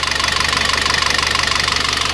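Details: Citroën C4 2.0: fast, light, even ticking over a steady idle, a dry tapping.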